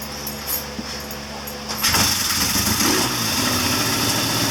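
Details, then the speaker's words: 1979 Triumph Bonneville T140D Special, after clutch repair: engine catches about two seconds in and settles into a steady, even idle with no misses or knocks; normal start and idle. "There it is. Mission accomplished. She runs."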